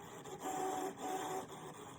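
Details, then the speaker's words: Brother ScanNCut after deep cleaning and a new blade, in normal cut mode: soft motor whirs in short, smooth runs as the carriage moves, no grinding or clatter; cutting normally, housing possibly reset. "No, I hear it cutting now. I can hear it cutting."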